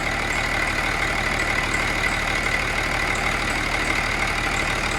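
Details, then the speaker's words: Cummins 6.7 turbo diesel test engine on HythanolPLUS fuel, just dropped to idle at about 736 rpm with no smoke: even, steady diesel idle with a light regular clatter at about two beats a second; runs smooth with no misses. "as you can see there's no smoke coming out of there it just went to idle it is now idling at 600 736 rpm"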